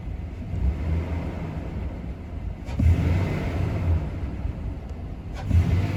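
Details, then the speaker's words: 2015 Nissan Titan V8 pickup with stock exhaust and freshly replaced differential fluid, given a few light throttle blips: deep rumble rising and falling cleanly with no knocks or misses; normal revving, sounds healthy. "Yeah, that's sound pretty good."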